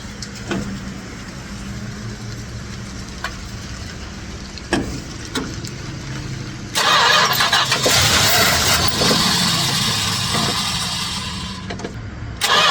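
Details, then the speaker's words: 1967 Chrysler Newport big block, run after years of storage, fed by squirting fuel down the carb with the tank fuel pump unproven: cranks, catches, settles to a steady lumpy idle then a louder rough run. "Oh, I like how it fired off there for a second. A little more. Oh, way too much. Perfect. That's a starter. It runs"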